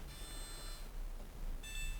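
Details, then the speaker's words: Indesit YTM1071R heat pump tumble dryer stopping after about an hour, warm and tumbling fine. The water tank is part-filled and the pump is working, so the cause is unconfirmed. Short bursts of high electronic beeps in a repeating pattern: error code beep pattern. "and it's playing an error code it's warm it was tumbling just fine"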